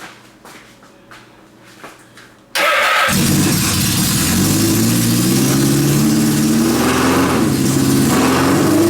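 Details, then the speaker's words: Suzuki GS650 cafe/bobber four-cylinder, engine rebuilt on the bench, carbs cleaned, small cheap battery; starter whirs, then it catches and settles into a steady, even, fairly smooth idle, normal running, though oil leaks found afterward. "We rebuilt this engine on the bench in the laundry room, cleaned the carbs, hooked up the smallest battery I could find, the cheapest one from the Jungle website, and uh it actually runs."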